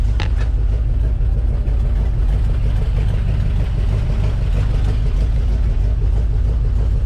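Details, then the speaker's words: 1962 Chevrolet C-10 4x4 truck engine idling smoothly with a steady, even low rumble and no knocks or misses after new battery cables, recharged battery, fuel down the carb and advanced timing; checked for freeze damage. "The battery might not be dead after all. Look at that, just idling."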